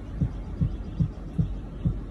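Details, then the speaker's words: 2008 Audi Q7 that won't move in gear after shifting out of park, noise from transmission area; deep even thumps over a low hum in reverse and drive, quieting in neutral; suspected transmission, shift switches, fuse or wiring fault. "here's the noise when i switch it from part to to reverse and neutral and drive got a neutral and it quiets itself now"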